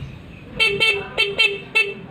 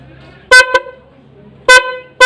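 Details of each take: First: Yamaha New Vixion motorcycle stock factory horn, partly failed, before replacement with a Hella snail horn on a 4-pin relay: five short toots, thin reedy buzz with little body and some rattle. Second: Hella snail horn newly installed via 4-pin relay on Yamaha New Vixion: loud, clear steady tone, quick double toot then five short even honks; horn working properly.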